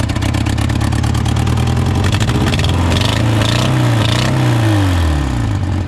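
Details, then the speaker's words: Honda Civic sitting about 10 years, first start after fuel rail refitted; lumpy uneven beat with stumbles, smoking, cylinder 2 found dead: cylinder misfire, owner suspects spark plug. "runs it runs look at that and it SM smoke we do have a cylinder misfire let's see if we can find it"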